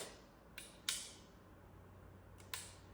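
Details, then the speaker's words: 1990 Casablanca Ventura ceiling fan, Intellitouch control board after capacitor replacement: faint clicks then one sharp crackling pop as the board blows a component on power-up; light kit still works, smoke smell, capacitor hot, board removed. "Well, we're definitely not keeping this circuit board on any longer. I'm honestly my heart is racing so much. O smells like smoke in here."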